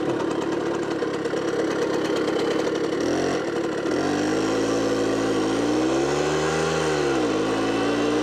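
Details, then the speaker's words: Automatic two-speed Tunturi Pappa moped with centrifugal clutch, two-stroke, during spring service with carburettor cleaning; fast buzzy idle, pitch dipping and rising as the idle screw is turned; idle too high. "the idle speed should be a little lower, I want to go all the time"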